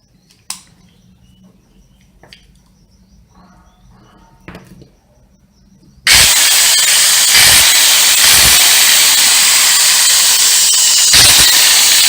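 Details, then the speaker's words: Angle grinder brought in for not starting and a loud ugly noise: it snaps into a loud steady high whine with harsh rasp while the brushes spark heavily at the armature; the armature is burned and needs rewinding. "aquí vieron que si chispea mucho entonces pues la armadura ya está quemada"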